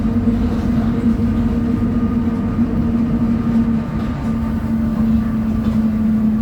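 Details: 2007 Torino bus, Mercedes-Benz OF 1722M chassis, at high revs: steady mid-pitched howl over the diesel drone, constant whining tone; suspected worn rear differential.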